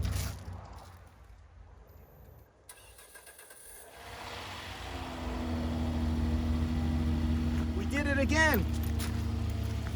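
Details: 2009 Hyundai Genesis 3.8L sedan started right after installing a new battery in the trunk: brief crank, then catches and settles into a smooth steady idle with a firm low hum; started cleanly.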